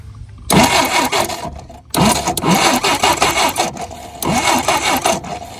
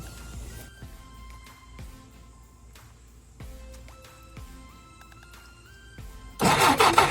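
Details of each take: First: 1967 Jeep CJ5 off the road 23 years, after fitting new points and condenser: three bursts of steady even starter cranking without catching, checking spark; good spark now confirmed. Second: 1967 Jeep CJ5 off the road 23 years, first crank attempt: starter churns steadily about three turns a second with no firing; no spark, owner suspects dirty worn distributor points needing filing.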